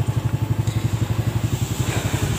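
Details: Yamaha Vega ZR, brought in for rough front-engine noise and white exhaust smoke, idling after bearing replacement. It gives a steady single-cylinder putter, about seven beats a second, even and without knocking or rattle. Normal idle.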